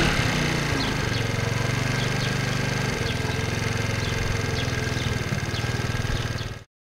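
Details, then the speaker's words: 2008 Racer Salut MT50QT-19B moped, 139QMB 50cc engine, after valve clearance repair and carburetor adjustment: small single-cylinder thumps steadily about four beats a second after a brief rev, slight valve tapping noted; normal running. "Ну вот так вот вроде бы работает Не знаю насколько хватит таких настроек карбюратора потому что на своём скутере Я помню почти каждый день настраивал этот карбюратор цвк"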